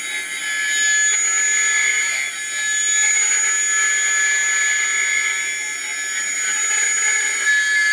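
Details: Atlas launcher gyro rotor on spin test, fed 115 V AC across terminals A and B via a 270 nF capacitor: a loud, steady high-pitched whine with a hissy, rushing edge and no low end, very noisy at full speed.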